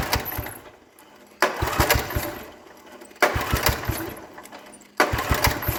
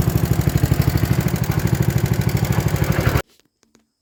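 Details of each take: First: 1960s Toro Professional 70 reel mower with cleaned points, spark confirmed and ether in the carb: repeated pull-starts give short sputtering bursts that catch then die each time, so it won't keep running; fuel sediment bowl plugged, carb rebuild planned. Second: 1960s Toro Professional 70 reel mower 8 hp single after carb rebuild and fuel system cleaning, fuel on: steady even putter about three beats a second, no stumbles, before cutting off; healthy.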